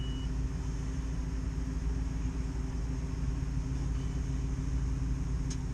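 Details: Takeuchi TB135 diesel mini excavator started after glow plugs with jump cables from a truck because of a weak battery; catches and settles into a steady even low rumble with no knocks or misses: normal running.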